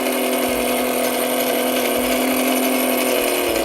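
Steady high-pitched whir with an even, unbroken tone and no stutter or grinding: a small battery motor spinning freely and healthily.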